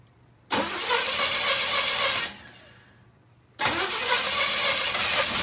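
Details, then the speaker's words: 1986 Cutlass 305 V8 after a new flywheel and the correct 305 starter replaced a wrong 307 one: two clean cranks, catches quickly and settles to a steady low idle with no starter grinding; healthy start. "oh that sounds healthy there we go that sounds like a healthy 305 to me except for the this getting stuck in there that's better"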